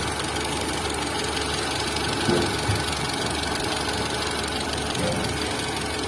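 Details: Tata Zest car engine at idle. Irregular light ticking and knocking about three per second over a busy idle; camshaft noise.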